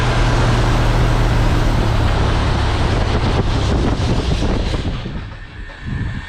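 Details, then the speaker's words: Thorp T-18 homebuilt airplane just restarted after about six months idle, with fresh fuel and a new starter; a steady, deep engine drone under heavy prop wind roar, running evenly with no misses or stumbles. "Woo! She runs, boys. Boy, that's some wind."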